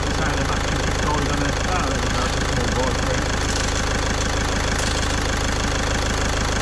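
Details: Caddy diesel after a week-long repair in which a stuck injector was removed with a slide-hammer puller kit: steady, even idle at about two pulses a second with light normal clatter, nice and quiet, running lovely. Normal idle.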